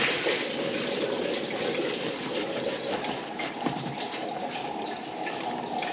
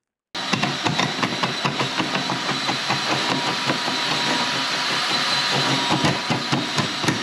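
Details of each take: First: Urinal flushing after blockage cleared by cable and trap refitted: steady rush of flush water pouring away evenly, no gurgling or backing up; drain clear and running freely. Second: Spartan drain-cleaning machine running its cable into a slow sewage drain; steady drone with sharp, fairly regular metallic taps as the cable hits the pipe on the left side, having gone into the wrong branch, to be pulled back and redirected right.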